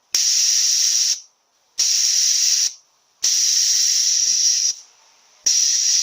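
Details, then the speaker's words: A340/AW4 automatic transmission shift solenoid from a Jeep Cherokee, bench-tested with 70 psi air at 10.4 V: four crisp air-hiss bursts starting and stopping cleanly as power is applied and removed; normally closed solenoid opens properly. "At 10.4 volts we're going to hit the switch now. You can hear that leak opening when we put power to it. So this solenoid is actually normally closed, and when we put the power to it, it opens."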